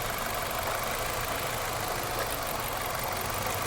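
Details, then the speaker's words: 2006 Nissan Altima with an engine misfire: idle is rough and lumpy, with one cylinder dropping out. A test light shows no arc, and swapping coil packs between cylinders confirms a bad coil pack. "if the mist moves over to the number two cylinder you know you have a bad cool pack there's no fire on the cylinder here"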